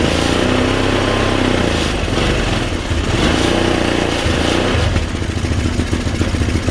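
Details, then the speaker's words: Chinese scooter, sat 9 years, first run: steady running, dense uneven exhaust patter, no knocking, CVT engages, but fuel spits back into the air box even after carb cleaning; owner suspects carburetor diaphragm fault, unconfirmed. "it kept spitting fuel back into the air box intake area so obviously fuel should not be going backwards through the system"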